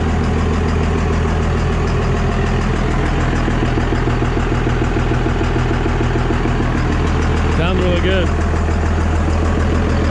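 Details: 24-valve diesel pickup just converted to a P-pump, first fire-up after priming fuel: steady, even idle with low rhythmic chug, no misses or knocks; runs smoothly, before fitting 4K governor springs.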